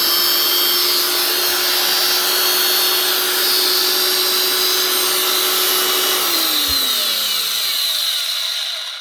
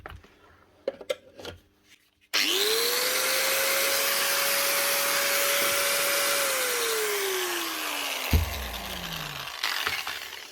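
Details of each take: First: Broken angle grinder from a fishing-boat repair box, first switch-on: steady high-pitched whine with a coarse, gritty, stiff edge, then winds down at switch-off; bearings suspected, sticking brushes possible. Rough running. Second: Grinder number two from a fishing-boat repair box, rusty from boat use: spins up to a steady high whine with smooth, even motor noise, then winds down cleanly, no rattles or grinding. Normal running.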